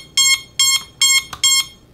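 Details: 6S long-range quadcopter on the bench after setup: beeper switch activated, four sharp high beeps about 0.4 s apart, clean and evenly spaced; flight controller buzzer working fine.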